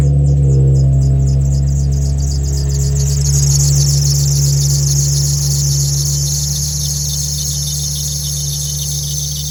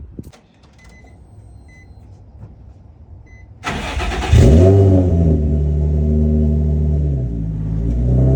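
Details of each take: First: Nissan 350Z cold start at idle: sharp pulsing high squeal chirping about four times a second over engine hum; worn accessory belt, missing a tooth, also squeaks on the highway and in low gears, replaced along with a lightweight crank pulley. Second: Nissan 350Z on a cold start after new belts, a lightweight Z1 crank pulley and a pulley delete: the starter whirrs, the engine catches and flares, then settles to an even, steady idle with no belt squeal.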